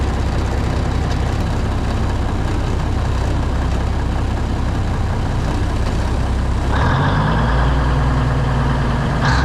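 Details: Classic White Freightliner diesel truck at idle right after a cold start, Eaton Fuller Road Ranger transmission cold, air brakes frozen: deep, even rumble with air hiss as pressure builds; good oil pressure, air gauge rising, sounds healthy.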